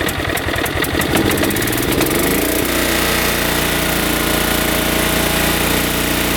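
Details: Riding mower with a freshly installed Kohler Command 14 hp engine, believed 14 hp, new battery, test run: starter cranks briefly, then the engine catches and settles into a steady, even drone, no misses or knocks; runs healthy.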